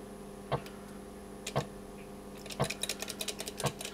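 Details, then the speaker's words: Atari Star Wars arcade machine on power-up: steady hiss with tone near 200 Hz and sharp tick about once a second, sound board apparently resetting in a loop; flaky pins on the interconnect board suspected. "sounds like the sound B's just resetting in a loop so we need to get the back off the machine take a look at that"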